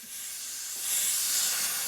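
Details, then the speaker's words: Old bulldozer, retrieved from a paddock, hydraulic tank cap eased off on a cool night as it warms: steady airy hiss of trapped pressure venting from the sealed tank; normal, oil about half on stick. "Pressure, it's actually pressure. Must be now starting to warm up."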